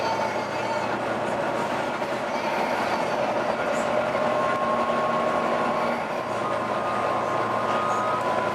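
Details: Volvo B9TL/East Lancs Olympus bus (YJ57 BEO) while driving: faint, wavering mid-pitched howl over steady road rumble; source of the howl unclear.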